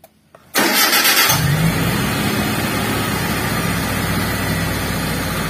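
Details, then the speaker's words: T120SS fuel-injected car, complaint of rpm slow to drop or surging: cranks and catches, then a steady but fast idle held around 1100–1200 rpm instead of dropping; dirty idle speed control (ISC) valve, before cleaning. "ternyata ya untuk posisi rpm nya tertahan di angka kurang lebih 1100 atau 1200 RPM ya"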